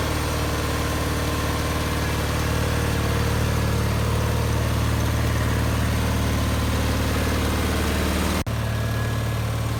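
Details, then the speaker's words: 1974 Bolens HT20 garden tractor, which apparently stalled from a fuel issue, after replacing burned-out coil and fitting a new fuel primer and priming: steady, even low thrum at constant speed, no misses or knocks; runs normally. "that seems all right and we've primed the fuel using the fuel primer so let's see if it stops it started in fact we're actually feeling so confident that we're going to take it for a bit of a test run"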